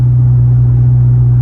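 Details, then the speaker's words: Straight-piped V8 Chrysler 300 with newly fitted straight-through muffler/resonators, heard in cabin at highway cruise: deep constant low hum, some drone still present as expected; exhaust drone. "I do hear some drone noise right now, but that's expected. It's still a straight pipe."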